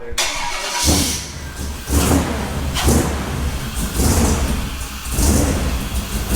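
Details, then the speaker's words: Off-road wrecker V8, cold (about 125°F water) on a stopgap exhaust, warming toward closed loop: rough, lumpy idle surging about once a second, never settling; misfire from an erratic RPM signal. "The RPM signal is getting is super erratic, so it's bouncing all over the place. That's why it's not running smooth."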